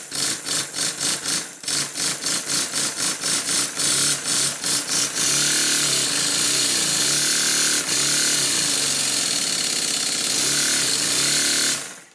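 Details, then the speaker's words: Model steam engine testing the first cylinder after its slide valve was corrected to the right length: crisp, even exhaust beats at about four per second, then a steady hiss as it speeds up; runs smoothly. "that's one side done the valve nearest the flywheel is the correct length time to test it"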